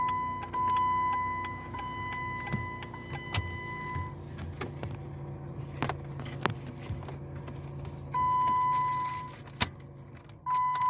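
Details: 2016 Jeep Patriot: quick, repeated clicking from behind the dash, over a steady chime in the parked car, from a faulty HVAC blend door actuator, which was replaced.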